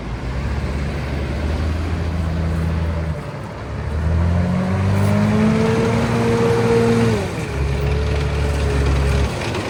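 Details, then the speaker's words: M5 high-speed gun tractor on a road test after the gearbox refit. The drone climbs in pitch, then drops in quick clean steps as each gear engages, with no slurring or flare; all gears much better. "Um, road test. Yeah, gearbox is working absolutely sweet. All gears much better."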